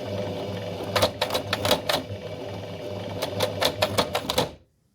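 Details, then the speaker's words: Old workhorse sewing machine run with presser foot raised, so tension discs are disengaged and needle thread is unrestricted: uneven bursts of sharp clattering knocks instead of a steady hum; stitching fault, a common beginner error. "Not a good sound. This is one of the most common errors for beginners and will cause a bit of panic. In this up position, it is possible to withdraw the needle thread without restriction."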